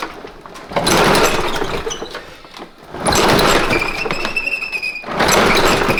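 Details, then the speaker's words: Craftsman push mower bought about 5-6 years ago, ran rough at the end of last summer, old spark plug: three pull-start attempts, each a brief sputtering crank that never catches; owner fears it is finally worn out. "Maybe I've run it to death. Maybe I have finally run it to death. It was running pretty rough at the end of last summer."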